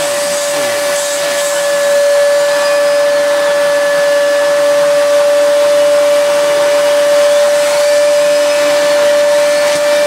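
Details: Miele S2111 vacuum after repair of a broken solder joint, at full power: strong, steady motor whine holding one clean pitch with no surging or rattles; runs healthy.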